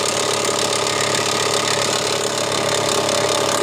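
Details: 2001 Mitsubishi Montero Limited 3.5 at idle: loud, steady, rapid knocking that seems to come from the bottom or crankshaft, but doesn't.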